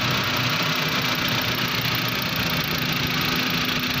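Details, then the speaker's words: Suzuki Cultus after repair of tappet noise and fuel fault that 3–4 earlier mechanics could not fix, bonnet closed: steady even idle, constant hum, no ticking or tapping; engine now smooth, normal idle. "ये देखिए माशाल्लाह गाड़ी स्टार्ट है, बिल्कुल स्टिल है, साउंड ज़बरदस्त है। ये देखें किसी किस्म की कोई आवाज़ नहीं इसकी,"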